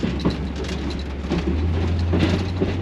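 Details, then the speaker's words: 1967 Chevy Camaro, previously non-running, first drive: steady low droning hum under road rumble while rolling; noise seems to come from the rear end, exact fault unclear. "my God I don't know what's happening with that I don't know what that rear end is doing back there"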